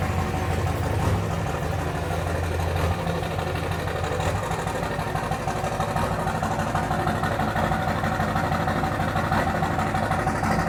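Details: 2004 Dodge Ram 5.9 Cummins diesel, just started and not warmed up: sharp rapid clatter, roughly three raps a second, over the idle rumble; injector knock suspected, not confirmed.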